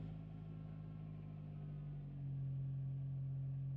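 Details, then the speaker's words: Engine idling after Liqui Moly oil additive was poured in; runs a bit smoother but a faint light tapping, about three to four a second, remains at idle before warm-up; tick cause unknown. "Oh no, there's a little bit of tapping. I can hear it. I don't know if you guys can hear it, but I can hear a little bit of tapping."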